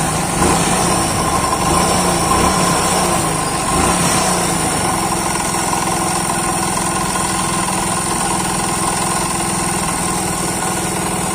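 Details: Hero Splendor motorcycle at idle: a loose, uneven knock under the exhaust beat that follows engine speed. It quiets when the magnet (flywheel) side is pressed, pointing to crankshaft end play; the fix is opening the crankcase to address the crank bearings.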